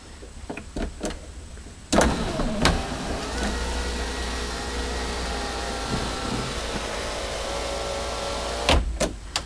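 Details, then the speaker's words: Saturn S-series sunroof after module replacement, connectors and all 4 drain tubes reconnected, key on: clean clicks, then a steady even motor hum about seven seconds with no grinding or binding, ending in clicks; sunroof works normally again. "That sounded pretty good. And it looks like I've got a working sunroof again."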